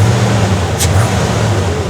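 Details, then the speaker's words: Engine fired up during a Ford Bronco build: deep, heavy idle with a slightly lumpy, uneven pulse and vibration, not idling smooth; low compression cylinder suspected, not confirmed. Rough idle. "Look like it's got a low compression cylinder. It's got a vibration and all that. You see it? It ain't idling smooth."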